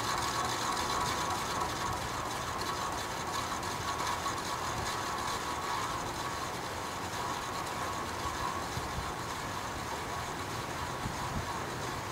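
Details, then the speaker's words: Vintage Penncrest (Lakewood) 20-inch 3-speed box fan, stored six years and bearings oiled: fast uneven rattle of about four clicks a second over the airflow hiss on low; motor is tight with good spin-down, cause unclear, owner wonders about worn bearings. "rattling it's noisy i've oiled it several times before the noise doesn't go away so there's no play in the motor you know it's nice and tight so nothing's loose"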